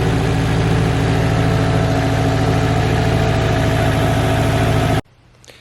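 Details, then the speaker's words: Subaru STI engine after a refresh and repaint, first runs, not yet fully warmed up, coolant not yet bled: even steady idle about three and a half pulses a second, no misses or knocks, then cut off early over the upper radiator hose; sounds healthy. "you guys just saw it's running and idling"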